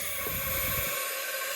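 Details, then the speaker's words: Cheap Chinese wastegate bench-tested with air pressure: steady airy hiss as pressure builds, leaking past the stem before it opens, not yet open at about 20; the wastegate leaks even at higher pressure and is judged bad. "Start adding pressure. As you can tell, you can hear it start leaking. Nothing much yet, and then it starts to open."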